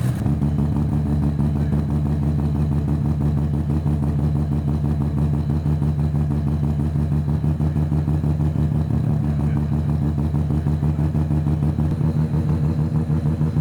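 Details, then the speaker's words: Mazda FC RX-7 rotary engine on the dyno: deep, even brap at a steady idle with both rotors firing smoothly and a little smoke; the day before it sounded like it ran on one rotor. "yeah that's how it was supposed to sound it did not sound like that yesterday it sounded like a lawn mower running on one rotor"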